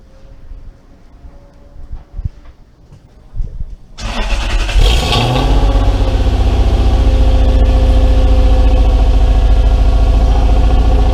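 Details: Mercedes W203 C230 Kompressor coupe with swapped Lexus 3UZ-FE V8: short crank, quick catch and brief rev, then a deep, steady, even V8 burble at idle; sounds healthy.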